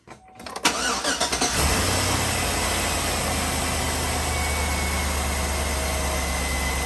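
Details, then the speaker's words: Chevrolet Tahoe with a P0300 misfire code after swapping to a 2006 ignition system with lower-mileage coil packs, plug wires reconnected: it cranks briefly, catches cleanly and settles into a steady, even idle with no skipped beats. "well cranked up sounds excellent to me I don't see any problem with it"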